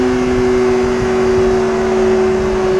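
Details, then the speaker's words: Yamaha R6 RJ11 engine after repair with all valves replaced for cylinder-head noise: smooth, even drone at steady pitch, no ticking from the top end, then cut off; running healthy, no comparison to before. "motor läuft wieder hört sich gut an keinen tickern kein vergleich zu vorher"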